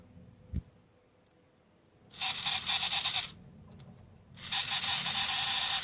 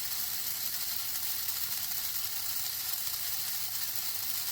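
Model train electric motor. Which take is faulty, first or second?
first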